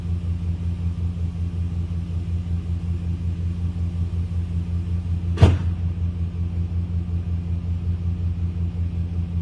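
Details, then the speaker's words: 2001 Dodge Dakota quad cab AWD, 151,291 miles, just fitted with new size 27 battery: smooth, even low idle hum, no knocks or misses, one brief click; normal idle. "So, it's running nicely."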